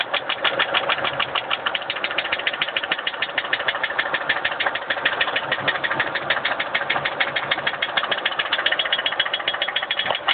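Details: Mercury Marauder V8 idling with a sharp, steady metallic knock about three per second; engine detonated and broke a piston.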